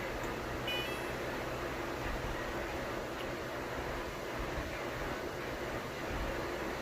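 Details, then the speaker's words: Electrolux dryer after replacing the blower motor assembly that caused a grinding noise: even, low, steady hum with soft airy rush, no grinding; running smoothly after repair. "kidding so no more noise looks like it's running pretty pretty smooth"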